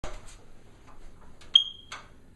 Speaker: how horrible is that sound in the middle of the night it beeps you wake up you can't sleep the rest of the night and it's too cold to go outside and get the ladder and fix it what it's telling you is the battery needs to be replaced